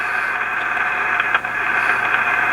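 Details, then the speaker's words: Amateur radio receiver, tested without an antenna: a steady hiss with random crackling crashes that sound like lightning but come from inside the rig. It still picks up stations on a bare coax lead; the owner suspects a fault in the VFO. "But I think this is lightning crashes inside the rig. It's sounds really bad."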